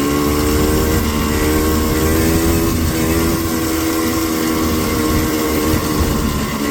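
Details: Four-wheeler two-stroke held at steady high revs, full throttle while riding: loud flat drone that never climbs freely, bogging though still pulling, slower than down in the valley.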